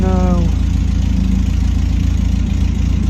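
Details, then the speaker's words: Ford Capri at idle after a weld-and-paste repair of the exhaust manifold: a sharp puffing tick about four times a second from underneath; the welds did not hold and the manifold has cracked and is leaking again. "the manifold leaking again you near it it's leaking underneath again so that didn't work the manifold is still leaking"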